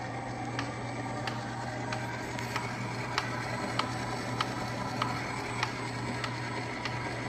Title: Ooni Halo Pro Spiral Mixer making noise after using for exactly 3 times!